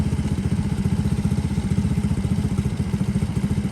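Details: Honda S65 custom motorcycle with a 140cc four-stroke Lifan engine, just restarted after long storage, idling in a parking lot; small single putters at a low, even idle, about four pulses a second, no knocks or rattles; normal healthy idle.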